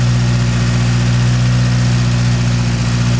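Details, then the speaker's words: Porsche 924 Turbo on a cold start after sitting overnight, following fresh fuel: a steady low idle, much better than before, but it wavers now and then with a faint stumble; owner suspects residual old fuel in the line. "Much better. Still a little dead spot in it."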